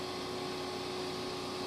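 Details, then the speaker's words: Shop Fox W1854 drum sander, newly assembled, running with no load and conveyor belt moving at slow to fast speeds: a steady, quiet, smooth hum with no knocks or rubbing; normal operation. "So everything is working like it's supposed to. And you can really slow it down. And then you could really speed it up. And it's pretty quiet and smooth, yes."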